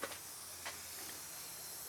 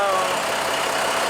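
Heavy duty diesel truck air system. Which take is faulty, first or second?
first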